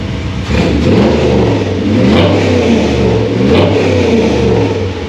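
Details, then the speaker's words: V8 with Holley Sniper tunnel ram, XP carburetor and MSD distributor, new water pump, restarted hot: loud rowdy blips with uneven edges; owner says it still needs tuning, cause not confirmed. "It sounds way more rowdy."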